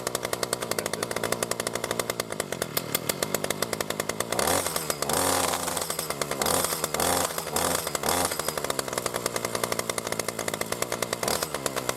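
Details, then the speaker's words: New B&Q 25cc petrol two-stroke strimmer after 3–4 primer pumps, getting fuel through: the buzzy note rises and falls with throttle, firing smooth and even without stumbles. Normal running. "So we'll just give it a pull to get some of that going through. There we go. You can hear it's a bit smoother on the running."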